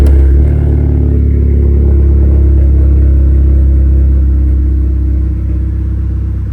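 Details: Audi A3 8P petrol engine at idle after a cylinder head rebuild. The spark plugs were changed and refitted, but it still misfires. Deep idle with an uneven stumble three or four times a second; cause unknown.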